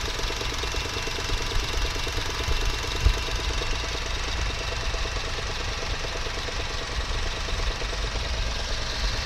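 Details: 2009 Honda R20A3 at steady idle: faint, even light knock over the engine; the cause was a worn A/C compressor clutch bearing (35x55x20), and replacing it solved the knock.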